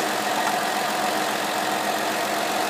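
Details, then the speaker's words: Ford 2009+ EVAP leak codes P0456/P0457/P1450, engine idling, canister purge valve line disconnected: steady fluttering suction hiss at the open port; after unplugging the valve's electrical connector the noise stops but the suction persists; purge valve stuck open, losing intake vacuum and failing the EVAP test. "your finger should stick to it you hear that once you disconnect this that noise and the suction Co should go away now the noise went away but the actual vacuum did not it'll stick to my finger it should not be doing that"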